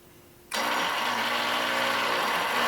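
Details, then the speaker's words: Rusty Honda 6500 W electric-start generator, liquid-cooled, little fresh gasoline added: steady fast whirring crank with no firing; cranks but won't start, carburetor drain shows no fuel, carburetor appears plugged. "it is cranking but doesn't start let's see if the carburetor is filled with gas here we have a valve to drain the carburetor no gasoline even when i remove the valve it looks like the carburetor is plugged"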